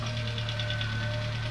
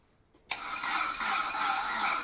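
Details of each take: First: Saab 900 16v Turbo that stood 12 years, immobilizer bypassed, jump-started from a BMW battery after slow cranking: a steady low idle with quick even ticking. It runs but has no coolant, and its condition is unconfirmed. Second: Barn-find Saab 900 16v Turbo, stood 12 years, on a BMW battery with no coolant in it: a sudden catch, then an uneven hiss and patter settling into a continuous idle as it first comes alive.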